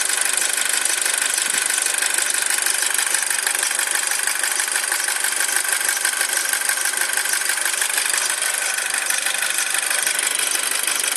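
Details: 2007 Audi A4: sharp high-pitched chirp about three times a second, steady with cold idle; squeak of unknown origin that disappears once the engine reaches operating temperature.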